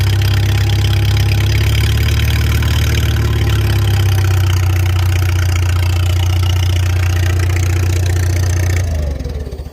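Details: Farmall 300 Row Crop tractor idling out of gear on temporary fuel with the choke open, then shut down; a raspy chuffing edge on each firing pulse fits a leak through the original exhaust manifold's rust hole, being replaced. Otherwise runs well with no smoke.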